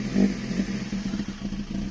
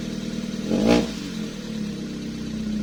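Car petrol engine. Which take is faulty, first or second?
second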